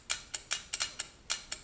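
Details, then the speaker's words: New bi-xenon projector for a 2014 GMC Sierra Retro-Quik retrofit, bench-tested on a 9-volt battery before install: crisp, sharp shutter-actuator clicks, about four to five per second, no buzz or drag; shutter opening and closing normally. "you can hear it opening and closing. Essentially what it is just that shutter there, and it's opening and closing."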